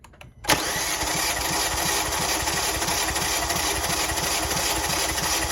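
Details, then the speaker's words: 2018 Kia Forte compression test, cylinder 1, coil packs removed, gauge on M12 fitting: starter catches then even cranking about five pulses a second, no skips; reads about 190 psi, held five minutes dropping slightly, healthy. "So, this one is at 190 it looks like. We're going to hold that for like 5 minutes and see. And that's cylinder one."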